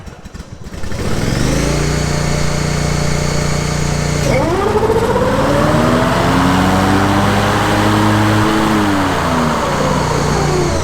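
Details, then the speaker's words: 2001 Grasshopper 718 mower with 61-inch deck after spindle bearing and steering link replacement: steady even drone that speeds up and settles, no knock, rattle or grinding; quietest it has ever sounded. "I can tell you it sounds way better than what it did actually it's the quietest it's ever sounded so I don't know how long those uh bearings been going bad but they're all good and greased up"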